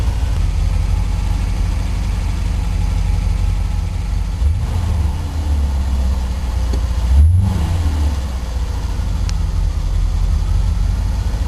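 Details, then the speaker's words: 1984 Corvette Crossfire Injection cold start at about 25°F, temperature gauge not yet registering, after Thermac heated air cleaner repairs: steady low idle, even with no misfire or hunting; healthy. "so we'll give her a go here not bad temperature not registering yet"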